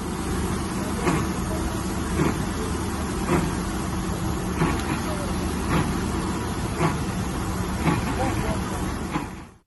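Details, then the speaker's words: Triumph Stag 3.0 V8: loud rough roar with a heavy whoosh-like surge about every second from the front of the engine, progressively worsening; failed viscous fan coupling (Torquatrol unit), not an engine failure. "not very uh nice noise at all and um you start to worry what on earth that engine noise could be it really is a scary noise it gets worse and worse uh on a progressive basis"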